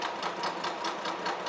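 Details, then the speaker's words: Horizontal mill side milling bronze locomotive connecting-rod bearing castings at 0.100 in per pass; rhythmic cutting thumps about five per second, one harder hit each turn as the cutter hits hard on one tooth, yet finish is very nice. "I'm going to feed in 100 th000 and the letter cut across that cutter really sounds like it's hitting hard on one tooth but I'm getting a really nice finish so I'm not going to worry about it"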